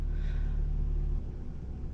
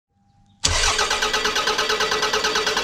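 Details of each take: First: 2001 Toyota Camry 5S-FE after repair work on the cold-start fault, just after a cold start: deep steady idle hum that drops to a lower, softer note as the engine warms and revs settle; normal warm-up idle. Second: 2001 Toyota Camry 4-cylinder 5S-FE, cold engine: starter churns in a long even beat of about three pulses a second, turning over forever; hard cold start from a faulty coolant temperature sensor (idle control valve also dead).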